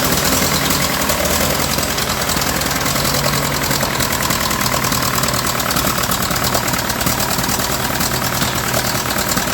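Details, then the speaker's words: Ferguson TEA20 British Standard engine after valve lash and an exhaust leak fix: rough, uneven running with a constant spitting crackle that persists even with another carburetor; the engine is in bad shape. "I tried another carburetor on it. I've tried everything, and I just can't get that crackle out of it."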